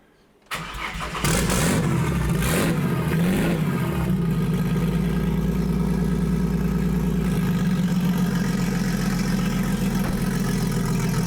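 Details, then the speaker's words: Ford Falcon, J3 chip plugged into the ECU after finding what went wrong, started in neutral. It cranks, catches and settles into a steady, even idle with a low hum and no misses; not perfect but a baseline. Normal idle. "good it runs it idles by itself it's amazing"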